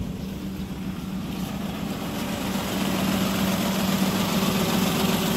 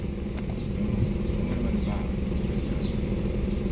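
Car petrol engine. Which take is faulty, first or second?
first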